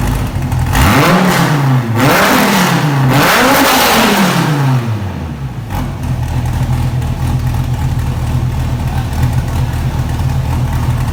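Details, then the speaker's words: Wrecked 2014 Dodge Viper TA started after collision, on a swapped-in battery, in neutral; several sharp revs then a steady, deep, very loud idle with clean firing on an open exhaust, running normally. "that suckers loud got the fan they're sucking all this exhaust out I think my eardrums are busted dude that is gonna be so loud man"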